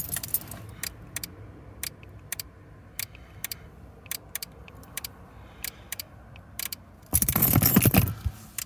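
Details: 9th-gen Honda Accord, parked: sharp, dry clicks repeat about three times a second, unevenly and often in pairs; it started that day, keyless entry stopped working, and the sound resembles the lock/unlock button clicks.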